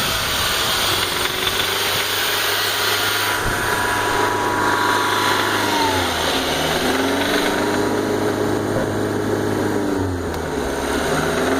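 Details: BMW E46 318i with 1.9 L M43 four-cylinder petrol engine, idling and blipped, with a light knocking under the engine note that persists despite a new timing chain, guides, tensioners and hydraulic lifters; cause unknown.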